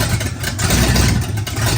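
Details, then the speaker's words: Oldsmobile 400 G big block, Quadrajet, first start after sitting a couple of years, run briefly with no coolant: a strong, lumpy V8 rumble and clean blips without misfires. Runs great, no smoke. "There you have it. It runs great. No smoke, no nothing. It's been sitting for a couple of years."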